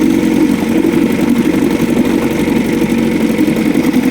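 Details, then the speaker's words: Refurbished Evinrude Angler 5 hp (6) two-stroke outboard with new wires and plugs, started first pull: steady, busy burble at idle with an even beat and no misses or knocks while pumping water; healthy idle. "we are beautiful beautiful idle on it pupping water pupping water out there"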